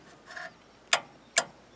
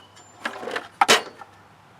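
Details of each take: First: Wrecker front winch, controller plugged into the solenoid pack with the cover off: three sharp clicks with no motor hum, power out present but the winch motor doesn't turn; likely a failed solenoid. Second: Wrecker front electric winch after repair of the solenoid connection, battery reconnected: quiet handling clicks, then a short loud motor whir as it spools in strongly. Electric winch running normally.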